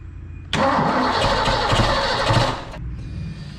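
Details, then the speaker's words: Engine with newly installed Anderson B21 camshaft, first start: catches after cranking, runs rough and lumpy about two seconds then dies; ignition timing retarded with distributor a tooth off, to be moved. "All right, we don't have enough timing, so we're a tooth off."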